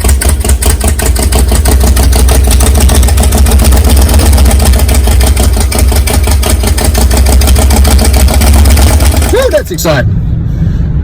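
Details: Big-cam big-block Chevy 454 V8, first cold start on the engine stand, untuned, carburetor problems; loud choppy fast idle with about three lope beats a second, then shuts off; camera audio may sound like rod knock, but it sounds healthy in person.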